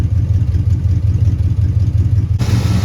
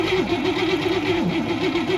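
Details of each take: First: Abandoned 1961 Cadillac V8 being revived: deep, even burble at a steady idle with no stumbles after screws backed out from one turn to two; now idles on its own. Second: Abandoned 1961 Cadillac being revived: starter cranks the engine in an even, pulsing whirr of about four beats a second but it never catches. Spark is present, but the fuel pump is delivering no fuel.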